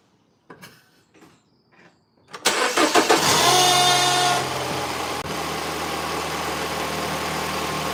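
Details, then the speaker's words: Mini Cooper R56, engine started: some clicks, then it catches with a loud, rattly flare and a brief whistle that dies after two seconds, leaving a smooth idle; known start-up noise, not yet diagnosed. "This car, this particular one has a funny noise. Um, so don't be alarmed when I start it. It's got funny noise when I start it and then it goes away."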